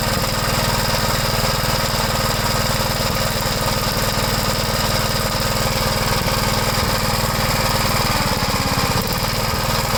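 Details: 1973 Gravely C8 single-cylinder engine running after replacing the oil pump cover seal and gasket, oil lines reconnected, run to check for drips: steady, even chug at a settled speed with no misses or knocks; normal running.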